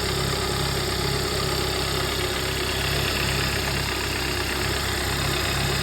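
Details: 2011 Hyundai Sonata idling loud with an uneven, irregular knocking and no steady rhythm, shaking felt in the pedal; owner asks what is wrong, cause not obvious; rough idle with knocking noise.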